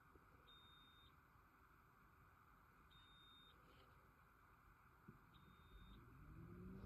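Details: Polestar 2 warning chime: three long high-pitched beeps, each about half a second, repeating roughly every two and a half seconds over faint hum; cause unknown.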